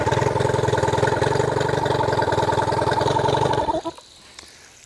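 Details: New Hangkai 18hp two-stroke outboard, first run after a year stored, on water muffs in neutral: quick, even popping idle at a steady speed, then cut off cleanly. Normal idle.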